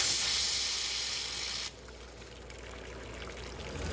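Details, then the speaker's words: Customer-returned Nathan Monitor steam injector on test: loud steady hiss drops to a quieter even rush while capacity is adjusted, nothing weird; delivery line and overflow checked fine, next tested at 145 psi; normal operation. "i'm adjusting the capacity and listening for anything weird but so far everything seems okay"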